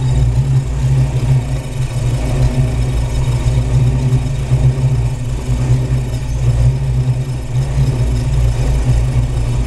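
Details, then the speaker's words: Ford Maverick V8 with faulty MSD 6AL ignition module wired without ballast resistor; deep idle stumbling unevenly as module heats, spark jumping inside distributor audible; ignition misfire from faulty module. "quer vir ver corre aqui tá ouvindo o barulho das Faísca perdida dentro do distribuidor"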